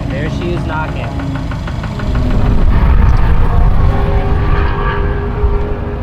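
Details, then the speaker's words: Subaru STI engine after overheating mid track session: uneven idle with rapid tapping knock, roughly three to four per second, over the low rumble; engine knocking after overheat, cause of overheating unknown. "Kind of a bummer because I spent a lot of time prepping the car, making sure it was all good to go, and not really sure why the car overheated, but let me start it up for you guys so you can hear it."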